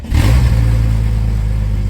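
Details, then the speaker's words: 1997 Jeep Cherokee XJ, high mileage, revved hard on an 81-degree day: loud, raw, blatting roar with no muffling at all because there is no exhaust whatsoever, an exhaust leak that needs addressing right away. "Yeah, no exhaust whatsoever. Yeah, that's loud. That's going to have to be addressed right away."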